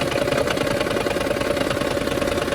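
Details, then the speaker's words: Toyota Prius, loud at idle: rough, uneven engine chatter with stumbling pulses; unplugging the number two ignition coil makes the noise go away, confirming a faulty coil and misfire, with the coil still to be replaced. "आवाज बहुत ज्यादा है। मैंने जैसे ही उतारा आवाज इसकी खत्म हो गई है।"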